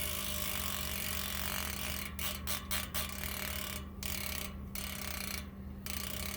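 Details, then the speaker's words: American Classic 225 rear hub freehub. Quick, fairly quiet ratchet clicking in short spins with no grinding; only one spring engages the clutch plate, which then engages the pawls. Normal freehub clicking. "So you can hear it's not terribly loud. There's only one spring that actually is engaging what they call their clutch plate."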